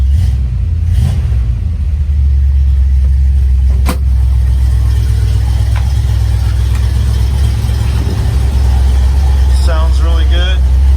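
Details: 1971 Dodge Dart Swinger 318 V8, 130k original miles, Edelbrock 600 carb, headers, first start in about eight months: deep, steady rumble settling into an even idle with a couple of blips; runs smooth and strong.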